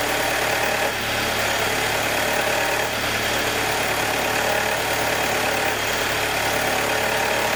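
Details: 2021 Jeep Wrangler 2.0 on every cold start: light, quick ticking over a steady hum for about 90 seconds until the cold air intake takes a deep breath and idle goes normal; source unclear.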